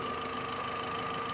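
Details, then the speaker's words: VW Gol 1.6 EA111, which had a strange noise from the rear of the engine, after the pump was refitted and the timing belt timed correctly: a steady, even idle with only normal engine hum and no knock or rattle. "Acabou aquele barulho, ó. Só o barulhinho do motor."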